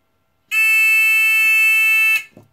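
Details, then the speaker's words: TX-2003 metal detecting pinpointer being modified for more range: steady piercing high squeal for about 1.7 seconds as the sensitivity potentiometer is turned past its threshold. "sorry for the squealand but yeah it's just the potentiometer"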